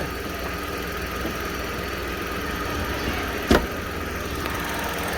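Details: 2021 Chevrolet Onix Plus Premier automatic, cold start at about 6 a.m. after sitting overnight, hood open; quiet even idle hum with one brief click, no knocking or ticking, owner checking reported engine noise: normal cold-start idle.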